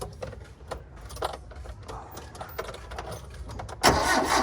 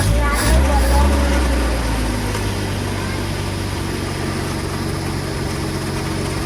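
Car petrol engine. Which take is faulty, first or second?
first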